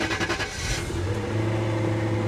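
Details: Repainted Jaguar V8 with about 120,000 miles fires, revs briefly, then settles to a steady, even idle with no knocks or misses. Afterwards the AC runs cold, but check-engine, traction, ABS and DSC fault lights show: normal start and rev.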